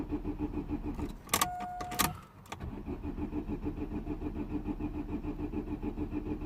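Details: 2009 Vauxhall Astra H 1.6 petrol, code P0685, before repair: short fuel pump buzz then steady starter cranking about 100 beats per minute, never catching; cranks but won't fire.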